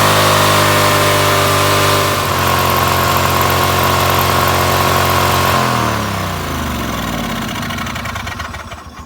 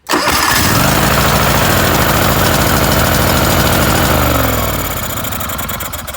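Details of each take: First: John Deere LX188 after carburetor install, cold start with throttle switch on low: small engine screams at high steady speed without being revved, then winds down; overspeed, possibly from a wrongly installed carburetor or something stuck. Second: John Deere LX188 mower after new carburetor install, choke working, governor pushed fully over: engine catches right away, runs smooth and even with a steady beat, then eases down as throttle drops; normal start and run.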